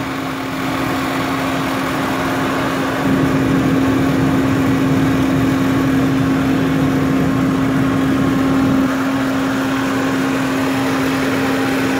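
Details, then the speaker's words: 2003 Lincoln Navigator: a steady, loud low-pitched hum from the air intake over a high idle. Caused by a bad idle air control valve; replacing it cured the hum. "Navigator is making this humming noise, and the idle's high."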